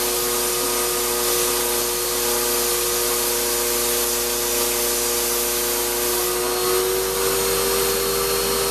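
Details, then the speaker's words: Shop-Vac vacuuming coarse tumbling grit gives a steady high whine with gritty grinding and no speed change; dust that passed through the motor before a dust separator was fitted pretty much destroyed it, and it runs poorly. "now the motor on my shot back is not sounding good and this wasn't running as well as expecting"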